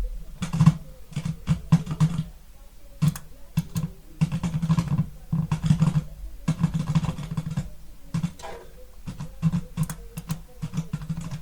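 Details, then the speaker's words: Harman Kardon HK6650R receiver, one channel sometimes louder than the other, just powered on: irregular crackle and low buzz through the speakers when the front-panel button is pressed, blamed on a faulty tiny switch. "Now we have a little bit of crackle. I don't know if you hear it, but let's press this button."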